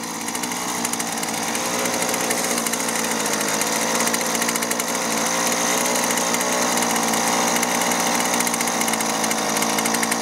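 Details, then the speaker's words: Husqvarna 128LD two-stroke string trimmer after replacing rotten leaking fuel lines and fuel filter that starved the carburetor; steady high-pitched buzz at even revs without surging, running cleanly before low- and high-side carburetor adjustment. "all right beautiful and it's not running that bad but i'm gonna go ahead and take our carburetor adjustment tool adjust the low side first and then the high side"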